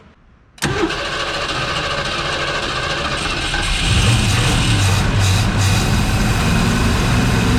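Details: 1970 Ford Mustang Mach 1 V8, second start try with a little gas after nearly 40 years sitting: catches first try, settles into steady, even deep idle that firms up; some smoke, likely burning off Marvel Mystery Oil.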